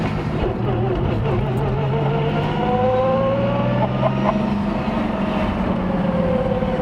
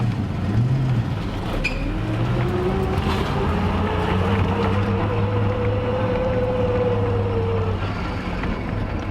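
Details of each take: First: Turbo VR Commodore ute V6 with newly fitted fully built G-Force T5 gearbox (micro-polished gears, ratios 2.92/1.94/1.34/1.00/0.73), first drive: clear whine rising and falling with road speed over the engine note; straight-cut-style gear whine. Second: Custom turbo VR V6 Commodore ute with newly installed fully built G-Force T5 gearbox (micro-polished gears), first drive; thin whine rising with road speed, straight-cut-like gear whine, hydraulic throwout slightly noisier.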